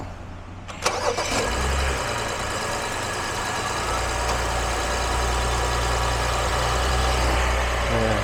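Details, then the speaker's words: BMW X5 E70 with gasoline N55 engine, after engine computer (DME) replacement for intermittent stalling, delayed starts and check-engine light; Valvetronic actuator and eccentric shaft previously replaced. Brief crank, fires promptly, smooth even idle: normal engine start. "시동 잘 벌리고요 중요한 건 걸리는게 문제가 아니라 시동이 꺼지는 문제를 해결하는 부분이기 때문에"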